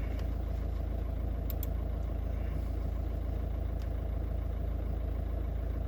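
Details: VW 1.9 TDI after repairing crankshaft speed sensor (G28) wiring that caused a no-start with P0322/000802: steady, even diesel idle with low smooth beat, no misses, knocks or hunting; normal idle.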